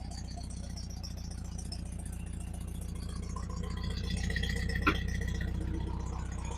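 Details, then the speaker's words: 1971 Volkswagen Super Beetle convertible Autostick, air-cooled engine, started in neutral: low, lumpy idle with uneven beat and loose rattling; runs a little rough and needs a tune-up. "So, it still runs a little bit rough. It does need some tune."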